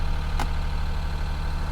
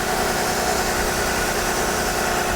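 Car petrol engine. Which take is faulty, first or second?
first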